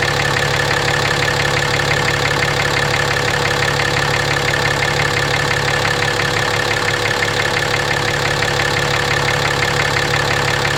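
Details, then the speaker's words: 2017 RAM 2500 6.7 Cummins at 12,100 miles, Rotella T 15W-40, idling with a deep steady knock about three beats a second over the clatter, recorded with a moved external mic; always had it, oil analysis shows high iron. "It's got 12,100 miles on it. It's always had that knock."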